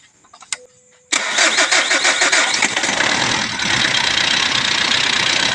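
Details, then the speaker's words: 2012 Mitsubishi Strada diesel after a DIY repair for hard starting, with a glow plug fault suspected and no check-engine light: after a second of quiet it catches at once with a few rough pulses, then settles into a steady, even run. A normal start. "so ayan mga idol naandar na siya mga idol"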